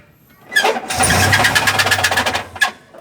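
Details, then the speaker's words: Suzuki Carry Futura 1.5 2012 that ran out of oil and died, then was cranked repeatedly until the battery went flat; after battery service, start gives rough, uneven labouring that never settles to a clean idle. Engine partly seized, likely needs overhaul. "begitu suaranya jadi mobil ini wajib turun mesin atau sementara nanti dikasih oli dulu"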